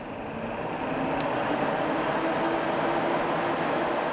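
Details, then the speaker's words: 12-volt Titan RV vent fan at full 100% speed (speed adjustable, quieter than stock vent fan): steady, even airy whoosh with soft low hum, no rattle or wobble; running healthy. "and this is what the Titan fan sounds like going at full 100%"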